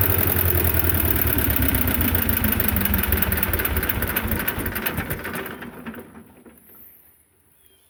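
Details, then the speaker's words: Belarus 250 tractor, two-cylinder air-cooled diesel that sat for years: uneven chugging that loses strength and dies away within seconds; fuel starvation from debris in the lift pump valves. "well it seems like it only wants to run just almost full throttle like 3/4 throttle"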